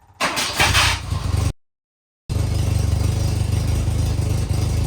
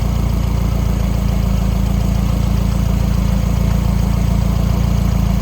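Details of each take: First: 1984 Volvo 244 GL revived after sitting abandoned in woods, carburetor swap for fuel injection, temporary 3-inch exhaust tack-welded: rough idle with a raspy puffing chuff; still quite an exhaust leak, but much better than before. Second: 1984 Volvo 244 GL pulled from the woods, now on a carburetor instead of fuel injection with temporary exhaust, finally running on its own: even, low idle about four beats a second, no misses or rattles, runs pretty good.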